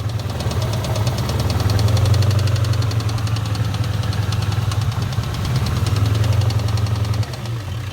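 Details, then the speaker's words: 1997 Ford Mustang GT 4.6L 2V V8 idling with a steady sharp knock, about four per second, over its rumble, loudest on the driver side; timing chain tension seemed fine. "but the real problem is that the car has a noise in the engine and I knew that when I was able to go pick the car up"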